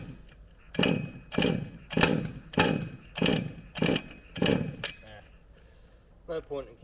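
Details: HPI Savage Octane petrol RC car engine on a cold morning: seven rapid cranking bursts about every 0.6 seconds, each dying at once; never catches. Plan is new plug then coil; not confirmed.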